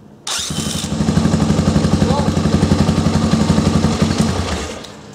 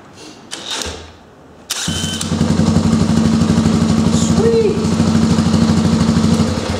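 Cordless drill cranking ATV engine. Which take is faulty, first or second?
first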